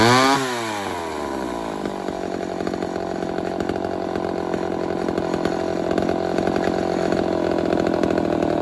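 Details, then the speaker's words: Homelite 1050 100cc chainsaw with 404 chain, first test cutting wood: it revs, bogs and surges unevenly and runs poorly under load. The owner suspects an air leak. "i'm pretty suspicious of an air leak so we'll find out"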